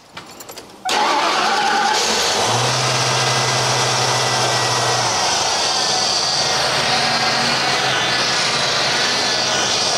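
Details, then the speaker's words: Ford Country Squire station wagon engine starts and settles into a loud run with a steady, thin whine from the power steering pump. "Oh yeah, listen to that. He's a whining. Ford power steering pump whine. He likes to complain."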